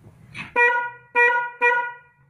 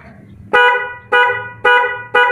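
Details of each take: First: Car horn test: three short honks, each a single thin flat note without the second tone, not stereo; one of the two horns is not sounding. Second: Car horns after repair, with both horns installed: six short, even two-tone honks, clear with no rasp or dropout. They now sound properly stereo; normal horn.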